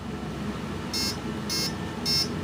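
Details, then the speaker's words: Turnigy AE-30A brushless ESC powered up with throttle at rest: three short high beeps about half a second apart as it reports its programmed settings. "when it first power is up it's going to make that sound and it's going to run through its settings"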